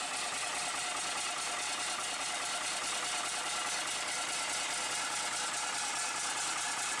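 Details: Bus diesel restarted after standing unrun for a week, with fresh fuel and a bodged wire: steady even idle clatter once it fires, no misses or knocks, warming up; healthy normal idle.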